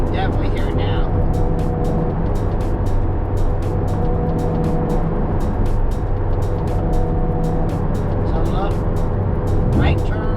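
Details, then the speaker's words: Porsche 718 Cayman road test, warmed up, around 50-60 mph, loading the left rear: steady low drone/growl under road noise changing tone with load; failing left rear wheel bearing. "loading the left rear certainly changes that audible tone."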